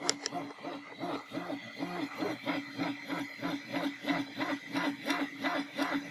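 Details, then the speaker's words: Anet A8 3D printer while printing gives busy rhythmic whirring and rattling, about three pulses a second, following the head's moves. Likely from its stock bearings, before the planned ceramic bearings. "donc là elle est en train d'imprimer on l'entend on va regarder un petit peu ce que ça donne en réalité le bruit d'une imprimante"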